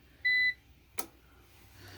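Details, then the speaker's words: New APC BN450M 450VA (255 W) UPS loaded near 250 W with a tower heater, running on battery until nearly drained: one sharp quarter-second beep then a click; low battery overload alarm. "now that's the sound of trying to do something it don't want to do"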